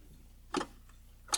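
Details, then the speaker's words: Early Jaguar XJ-S V12 with Lucas electrics, revived after sitting many years: two sharp relay clicks under a faint low hum as climate control servo relays cycle from a bad connection at fuse number 11, fuse twisted at its ends. "i think we just have a really bad connection here on that fuse i'm on that fuse number 11 which is for the climate control so i can hear the relays over here clicking"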